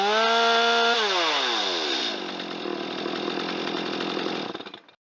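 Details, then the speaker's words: Stihl MS250 chainsaw that had sat and would not start, after a carburetor clean with the diaphragm inspected, a new spark plug and a carb tune: clean, steady high rev, then a smooth wind-down and shutoff with no stumble; runs normally. "I did a quick carburetor clean, reassembled the saw, replaced the spark plug, and it runs just fine with a little bit of a tune on the carb."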